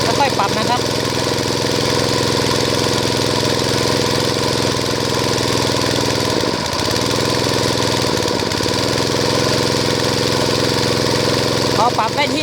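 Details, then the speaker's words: Water-pump engine converted to run on gas, started on choke, then fuel cut and gas fed in once it stumbled: loud, even, steady drone with no stumbles, showing normal running with the gas supply correctly set. "ก็เครื่องเริ่มนิ่งแล้วนะครับทำการเล่นเครื่องนิดนึงก่อนนะครับดูว่าเราจ่ายแก๊สเยอะไปว่าน้อยไปถ้าเร่งเครื่องแล้วเครื่องจะดับแปลว่าเราจ่ายแก๊สน้อยไปนะครับ"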